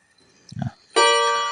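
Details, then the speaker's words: Seiko Japanese 30-day wall clock, hands turned to 12: short mechanical click then bright ringing gong strikes with long decaying tails, a normal hour strike. "Nah, pas, guys ya, 9 ya. Jadi kalau misalnya gongnya 9, tapi jarumnya angka 10, nah itu udah kerusakan, guys ya."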